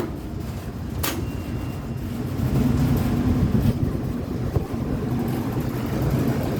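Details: Carrier central AC unit, no-cooling service call, turned back on after power checked at terminals: kicks on and settles into steady low hum, no grinding or rattle, running normally.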